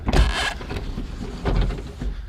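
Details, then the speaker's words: 1972 Chevrolet Chevelle SS 350: window works normally, whirring in even runs with no grinding; window felts may need replacing. "here windows do roll up and down on this side i could probably use some new uh window felts as well all the way around"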